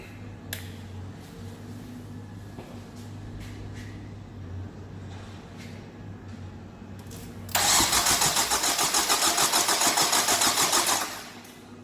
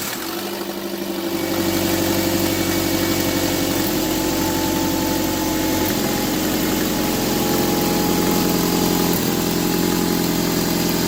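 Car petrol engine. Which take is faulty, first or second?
second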